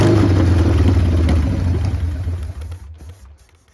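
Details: 1990 Harley-Davidson Sportster 883 Evolution V-twin runs rough on start-up: uneven, lumpy idle with ragged low thumps fading as it dies; owner suspects an intake leak, as one plug read lean and the other rich.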